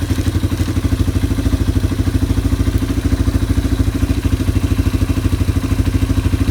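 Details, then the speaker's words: Yamaha ATV (four-wheeler) idling after carburetor cleaning and float adjustment, while a new air filter replaces a very dirty one in the air box. Steady, even low single-cylinder thumping, no misses, knocks or hunting: normal idle. "I've got a new air filter for it, so I'm gonna go ahead and be putting that on while it's sitting here idling."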